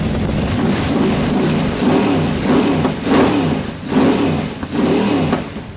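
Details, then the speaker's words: Chevy 350 V8 just after break-in, fitted with a Holley carburetor, blipped about once a second, rising and falling cleanly with a crisp return to idle; sounds healthy, no oil leaks. "Boy, she sounds good with this Holly."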